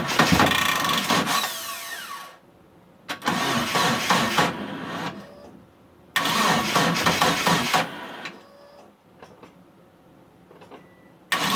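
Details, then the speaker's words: Mitsubishi Eclipse after about 8.5 years sitting, fuel and spark confirmed, timing set, weak battery on charger: starter whirs in bursts of about four turns per second, engine never catches, crank no start; owner suspects the crank position sensor. "hook up the battery charger because it sounds like the battery's dying out on me yeah the battery's been sitting for a while"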